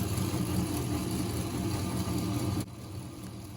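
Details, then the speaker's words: Homemade piston model engine without a motor, 12V adapter powered, during an endurance run: low, lumpy churning about three beats a second, stumbling unevenly; limping caused by the gear, not the pistons. "ini udah nyala dan ia suaranya agak gimana gitu ya"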